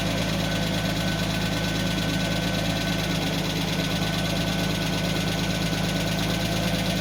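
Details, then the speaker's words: 1991 Mercedes 190E at idle, with the oil changed but the filter not yet changed, during front exhaust section work: a fast, light ticking over a steady idle that quietens as the lifters settle, from noisy hydraulic lifters. "see now the lifters are fighting down I mean I already changed the oil but I have to change the filter"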